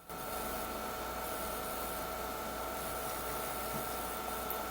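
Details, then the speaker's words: PowerMac 7500 after motherboard washing: steady electronic buzz with thin high-pitched tones from the speaker whenever the mouse moves, not while dragging a window; owner suspects a voltage regulator issue, likely board-fault interference. "drag a window around that does not make it have that sound happen but when I release and move the mouse around again there it goes again it's very possible that there's an issue with some kind of voltage regulator"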